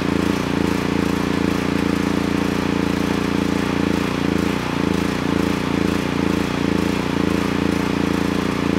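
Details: Honeywell HW5500 5500 W generator, 337cc engine, original cleaned carburetor, air box cover off, choke plate detached from its wire. The engine hunts and stumbles with an irregular surge about twice a second, running only when choked; vacuum leak from a warped carburetor insulator.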